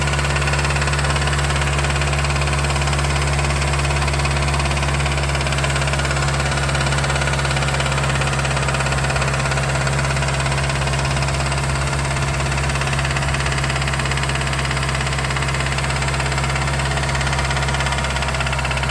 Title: MS3 Rod Knock noises.